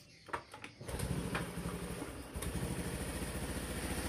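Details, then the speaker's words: Honda Scoopy automatic scooter engine, first start after reassembly with injection parts refitted, valve cover off to check oil flow: a few starter clicks, catches at about one second and settles into a quick, steady putter; good first start. "Langsung aja kita coba hidupkan, Teman-teman. Kita kontak on."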